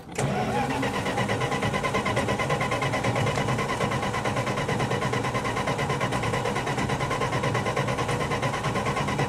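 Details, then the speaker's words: 1966 Plymouth Fury with new coil, plugs, wires, cap and rotor, 12 volts key-on: starter spins the engine at a steady, labored churn for several seconds but it never fires; owner then rechecks voltage. "there's absolutely no reason for this thing not to run i'm going to try it again and hope it"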